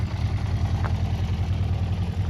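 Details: Honda CB400 Four after tappets reset, warm: smooth, even low burble at tickover with steady loudness and no internal ticking or knocking; only the exhaust note, healthy idle.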